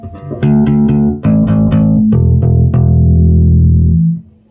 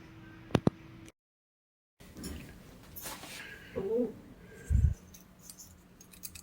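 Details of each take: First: Ampeg SVT bass amp after burned PCB repair and a new hum balance, chassis shielded with copper. Clean plucked bass notes ring out full and even with no hum, crackle or dropouts; the amp sounds healthy. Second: Ampeg SVT bass amp with a burned PCB: tilting the case brings irregular light rattles of a loose object sliding and tapping inside, where nothing should rattle.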